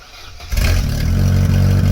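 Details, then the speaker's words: Mk3 Vauxhall Astra 1.6 LS saloon petrol, bought after sitting about 12 years unmoved since 2009, now starting on the button again: brief crank, catches at once and settles to an even run; clean, healthy start. "all right i'm delighted to see that it starts on the button again now"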